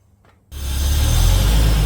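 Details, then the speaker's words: Holden VY Calais V6 with 4L60E auto, first start after transmission service and coolant flush: cranks and catches quickly into a deep, smooth rumble, no stumble, all cylinders firing; smoky and hot, wheels turning. "it's alive and smoky it's hot because the wheels are moving"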